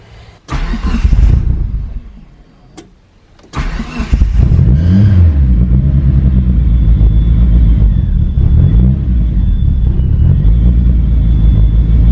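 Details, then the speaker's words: DSM Eagle Talon after a new head gasket and transmission rebuild, idle screw adjusted: starts after a couple of cranks, then settles into a steady deep-bass idle with a low rumble, still running a bit rich; a possible leak or air-leak sound was also noted. "oh it sounds so good I wish you guys can feel the deep bass tone in this car makes this crazy"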